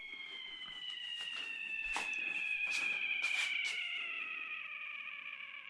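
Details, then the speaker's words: 2015 Husqvarna TC250 front brake master cylinder being rebuilt because of a slow leak and a spongy brake. A shrill, siren-like squeal slides slowly down in pitch over several seconds as air is drawn into the brake line. "What is that? That is air entering the brake line. That sounded like someone screaming or an ambulance."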